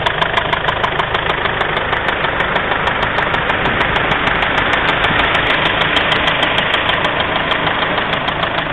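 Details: Mazda 6 at idle: a coarse rumble with a regular tick about three per second over it; the owner is asking what the sound could be, and the cause is unclear.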